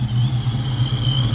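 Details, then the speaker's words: 1995 Mustang GT, Paxton Novi 2000 supercharger at 8 psi, GT40 heads, roller cam, fresh 20W50 oil with Lucas stabilizer, idling after a perfect cold start: steady even lope with faint supercharger whine, no misses or knocks. Normal idle; owner hopes oil change fixes low oil pressure. "But we're sitting here idling. Man, this thing cranks on cold start perfect. It idles great. It runs great."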